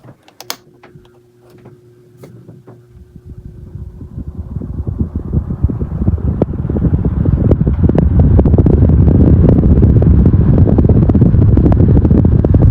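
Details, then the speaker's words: 16-inch Quality Superior pedestal fan, repaired, switched up to medium: motor spins up over several seconds into a steady rushing whoosh with even flutter and no rattle or scraping; normal fan running. "medium yep there's lots of air coming out of this [Applause] one"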